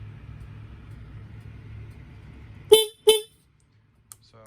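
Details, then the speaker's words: Honda CBR250R that sat in a yard for 5 years, electrics checked on a temporary generic battery before the first start: two short, clear honks with a bright, steady tone and no crackle; working horn. "We do have power. You know, everything works here. Turn signals. Horn."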